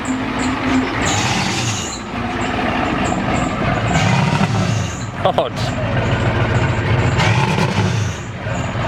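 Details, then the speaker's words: 1993 Ford F-250 7.3L IDI diesel with new injectors, hard starting: idle lumps and stumbles with beats dropping out, misfiring badly; owner suspects injection timing still not right. "good it's missing pretty bad yeah oo that don't sound good yeah wow daddy"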